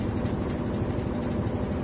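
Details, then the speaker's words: Whirlpool White Magic Pro XL 800S washing machine on spin program: steady whir with dense buzzing rattle from a loose plastic sheet vibrating inside the cabinet; fixed by sticking it down with double-sided tape. "जो आवाज आ रहा था वो इस थैली के वाइब्रेट की वजह से आवाज आ रहा था, तो इसको अभी हम चिपकाएंगे।"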